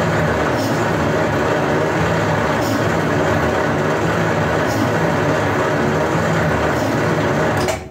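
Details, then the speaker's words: 1939 Buick Century on a rebuilt engine, cranking on assembly lube with the plugs in: a slow, steady, labored churn with faint slow pulses, turns over and never catches. "nice crank it over real slow but she's cranking over it's the first time this thing's cranked over in a year"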